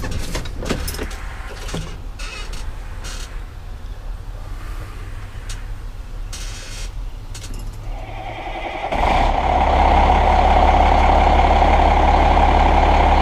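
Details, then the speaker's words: Cummins ISM 10.8 L (11 L) diesel heavy truck start: quiet until about nine seconds, then catches and settles into steady even idle; normal start and idle. "i'm going to flip this camera on now and we'll go around and start it up for you again cummins ism engine 10.8 liters 11 liter"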